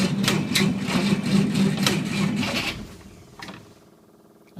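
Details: Willys with a 6-volt system at -8°F, full choke and a little throttle: slow, even cranking at about three and a half pulses a second, the engine never fires; it cranks but won't start and was eventually flooded.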